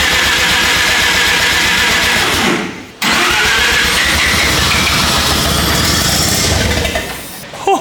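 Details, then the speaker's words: 13B turbo rotary swapped into replica Lamborghini Diablo, first start attempts before timing set with timing light: long fast cranking, turbo spooling on crank, a few stumbling fires that almost catch; running funky from ignition timing fault. "yes is that good it sounds like it's running funky it's the timing is doing whatever it wants at the moment"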